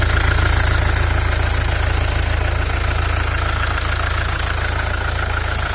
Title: w212 om651, belt out, weird noises still there